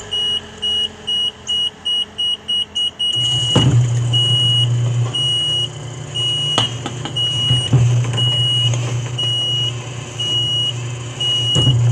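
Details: Edwardian Apartments electric gate B: alarm beeping steadily at a lower alarm tone with low motor hum underneath; recorded 09/2021.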